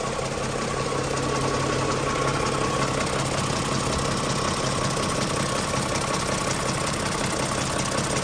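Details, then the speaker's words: Toyota Camry before the dealer repair. A rough, uneven knocking, ticking clatter rides over the idle at about two to three knocks per second and sounds like an old diesel, pointing to a timing chain tensioner that isn't holding tension. "none of that knocking ticking clattering diesel like somebody even said in the comments and I was like yeah somebody said our our car sounds like like an old diesel car"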